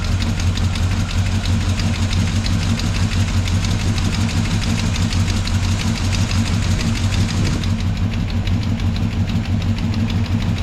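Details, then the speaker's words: Chevrolet Monte Carlo at idle: fast light tick about three per second from valve train; a knock on a lobe found as the source, valves being adjusted to quiet it. "well you had a little uh knock in here on a lobe oh yeah that'll cause a problem so there's where the noise was coming from so we're going to tickle these a little bit and see if we can't get her to quiet down"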